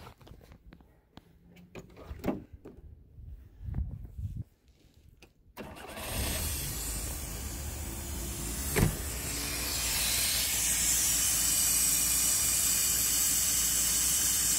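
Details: 1960 Rambler American 196 flathead six, sitting since about 1983, after refitting the repaired fuel pump (slightly leaking) and running from a dummy fuel tank: a few uneven cranking bursts, then it catches and keeps running with a steady roar that smooths out; normal start.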